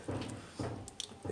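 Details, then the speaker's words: 2010 Toyota Camry with a shaking steering wheel and a loud noise while driving. Rocking the wheel at 9 and 3 o'clock gives a soft, dull clunk with each rock, three knocks in a row, pointing to a worn outer tie rod end. "what I'm gonna do is just go back and forth and this you hear that noise so this is a little noise coming from inside there"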